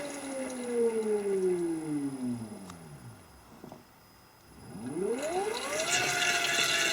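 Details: Gen1 Nissan Leaf motor on a Leaf inverter, Freelander throttle, coupled to the transmission as a load. Clean whine falls smoothly as speed drops, then climbs with throttle. Rpm now returns normally after the earlier runaway.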